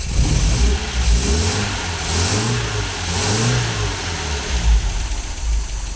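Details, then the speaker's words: 1980 MGB with twin SU carburettors, engine cold, just after airflow balancing. A quick throttle blip revs up cleanly and settles to a steady idle without stumbling or popping. "So obviously because the engine's cold, it's not going to sound 100% now, but that should still be a hell of a lot better. Okay, so let's just give the throttle a blip."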